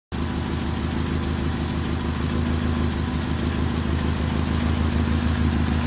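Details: 1994 Infiniti G20t P10 SR20 four-cylinder: low uneven throb at idle, rough idle; runs rich and backfires on deceleration.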